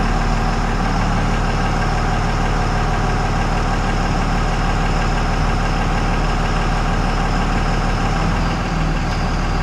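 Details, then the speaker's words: 2000 Dodge Ram 3500 dually, 5.9L 24V Cummins with mechanical injection and new injectors, after earlier high idling: deep, steady diesel idle clatter, even with no misses or stray knocks; normal idle. "Oh, yeah. Sounds good. Looks good. I am thrilled."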